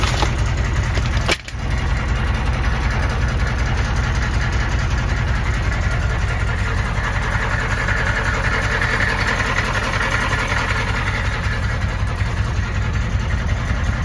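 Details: 1993 M998 HMMWV, 6.5L naturally aspirated diesel, cold start at rough idle: heavy uneven knock near two per second over the clatter; lost compression after ingesting water, owner assumes hydrolock bent a rod, unconfirmed.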